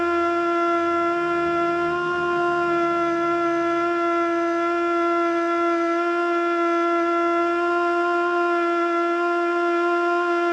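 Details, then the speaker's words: Older Federal Signal Model 2 siren (old CD box), Princeton NE, alert test: held wail stays fairly low with slight waver, never winding up to full speed; owner suspects worn brushes. "holy crap man that thing needs some help oh my gosh that model that poor model too that thing needs some serious help that thing is sick"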